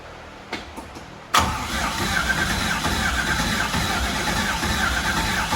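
A few quiet clicks, then it catches at once and settles into a steady, even V8 rumble with no knocking; good start.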